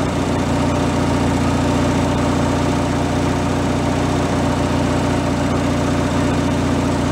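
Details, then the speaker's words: Free derelict Craftsman riding mower engine, started by key on fresh fuel after repairs, warming up before an oil change: even putter of about four pulses a second, no stumbling or surging; normal idle. "I guess we're gonna let it warm up and then we'll change the oil please idle no problem I'll let that run for a minute or two"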